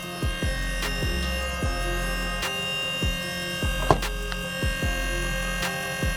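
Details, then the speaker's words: Astra electric power steering pump fitted to a Datsun 1200, just powered up, fluid full, no air coming out: steady electric hum and whine with soft rhythmic thumps, noticeably loud; noisy pump, cause unclear, later settles. "It's pretty noisy, isn't it? This little fucking thing. No air coming out."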